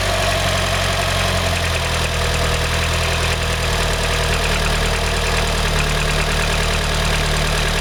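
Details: Mitsubishi 4G63 Mivec 2.3-litre petrol engine at a steady idle with a deep, hollow knock over it, like piston slap. The cause of the knock was never found.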